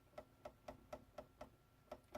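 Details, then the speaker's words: RC crawler on its stock chassis, front suspension compressed to full up travel: sharp light clunks about four per second as the front link truss across the axle hits the chassis, wasting up travel. "That is the cross member, the truss on the front for the front forelink that goes across the top of the axle, hitting the chassis."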